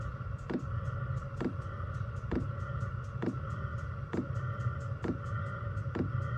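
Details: Chinese diesel heater in portable overland build, 5-liter tank, first startup after about two minutes of glow plug routine: soft dosing pump tick about once a second over low burner rumble as it primes and fires; normal startup.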